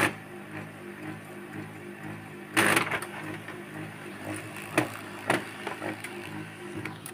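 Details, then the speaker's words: HP LaserJet P1102 test print: steady drive hum broken by irregular clacks and rough bursts as the paper stutters; print sometimes bunches up; cause not confirmed. "các bạn nghe tiếng kêu và các bạn để ý giấy nó chạy ra nhé Nó sẽ có dấu hiệu nó bị khựng khựng khựng này khi nó phát ra tiếng kêu là giấy sẽ bị khựng"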